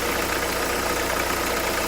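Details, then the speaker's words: Renault Kangoo 2011 1.5 dCi 86 hp, under 100,000 km, Delphi injection pump: uneven diesel idle with a steady low ticking beat and rattly edge; foam and air visible in the fuel, metal filings in the pump, faulty injection pump. "Là on le voit là direct on voit qu'il y a un problème bien. Voilà il y a de la mousse et de la mousse c'est pas bon il y a de l'air et tout là voilà la foire. Voilà voilà ça fait du bruit."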